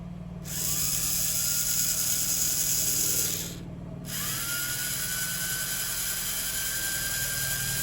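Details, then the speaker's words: Power antenna motor from 1964-65 Thunderbird / 1961-64 Cadillac, bench-tested on battery during disassembly: steady high whine that stops, restarts and climbs in pitch as it wakes up after sitting; smooth, no binding, same both ways. "Let it run for a minute. With electric motors, when they sit for a long time, if you let them run for a while, they go faster and faster, because then they start to wake up. You can hear the difference in the pitch of the engine. Sounds pretty good."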